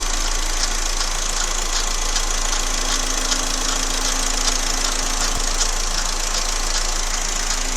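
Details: Engine at steady idle with a fairly even light tap about three per second over it; engine knocking noise, cause unclear.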